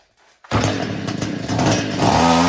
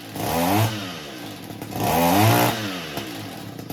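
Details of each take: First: Echo weed eater, small two-stroke, after the carburetor pump was cleaned: fires and revs raggedly, surging and stumbling without holding speed, then stalls right out; carburetor fault under investigation. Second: Echo two-stroke weed eater that kept stalling, after the high-speed mixture screw under the carburetor bowl was turned slightly counterclockwise: it revs up cleanly in repeated bursts and settles back without stalling, running fantastic now.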